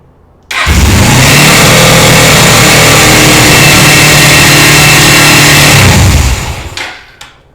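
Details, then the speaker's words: Motorcycle after carburetor gasket replacement, fresh K&N-oiled air filter, choke off: loud, steady, very fast idle around four to five thousand rpm; tach not working; high idle caused by carburetor return spring not connected properly. "the tack's not working and it's just rubbing so super high so i turned that where it's all the way out it's not even touching the tab that opens the venturi and so the venturi are pretty much all the way closed the choke's fine i mean it's not on"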